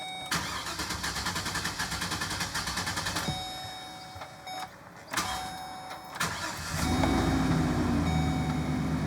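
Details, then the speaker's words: 2012 GMC Savana van with misfire and code P0300: starter cranks at about three and a half beats a second, good at first then faltering unevenly; suspected mechanical fault such as lifter or valves, plus a squeak. "Did you hear initial cranking? It was good for a second, and then it got bad again."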